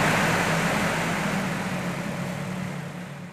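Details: Electrolux 12 kg twin-tub washer, spin-dryer previously only humming; after a part was replaced and the timer run again, a fast, even whirring spin with a smooth hum gradually eases off, with no droning or stalling, so the spinner works properly.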